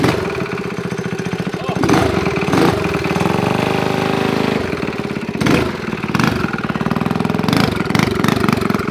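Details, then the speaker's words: Coleman CT200U-EX mini bike with a used Predator 212 single-cylinder ex-snowblower engine with performance billet parts, which also smokes. Idling and revving with a loud, heavy, regular rod knock under a rough exhaust beat, before a swap to a Tillotson 212. "again you can hear it knocking dude first pull though oh it's loud"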